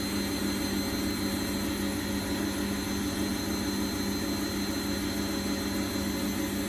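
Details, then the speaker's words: Bosch WFF1800 washing machine, about 9 years old, empty drum on a lower spin setting; owner suspects the brushes should be checked. Steady motor drone with a rough, uneven hum and no clean even whir: rough spin noise. "Doesn't sound great. So while it's spinning, there's a tiny dribble coming out there, but nothing worth talking about because there's no laundry in it to relieve of water. Doesn't sound great on the spin."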